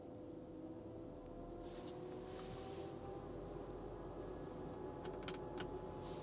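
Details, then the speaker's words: Tesla Model 3 LFP in service-mode battery health test, discharging the battery: steady even mid-pitched hum of the heat pump kicking in, likely preconditioning, rear motor also buzzing; normal heat pump operation. "let's start this running and let's see what happens straight away you can hear the heat pump kicking in"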